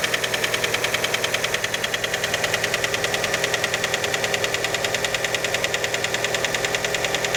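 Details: Fiat Panda engine at cold-start idle: a sharp, steady, very even ticking knock at about 200 per minute. Many suspect the piston skirt, but the cause is unconfirmed.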